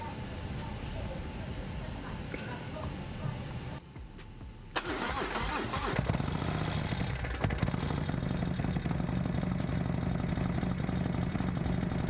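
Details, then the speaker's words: Harley M8 with S&S 124 kit and Samson exhaust, first fire-up after the build. Lumpy idle with light top-end clattering. The lifters are not yet pumped up and are expected to quieten as they build pressure over heat cycles. "so once that cam starts building once the lifters start building pressure then it'll start cackling more"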